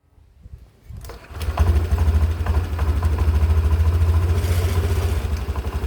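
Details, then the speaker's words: 2022 Honda Beat Deluxe scooter, CVT never serviced in 2 years: starts and idles with loose, uneven clattering rattle, caused by broken slider piece and worn roller housing; quieter after replacing CVT parts. "Jadi ada suara yang klotokokokok itu ternyata memang benar dikarenakan slider pie-nya jebol ya guys sehingga kalian bisa lihat nih rumah rollernya tadi di awal gua lihatin ke kalian itu kegerus dan kemakan"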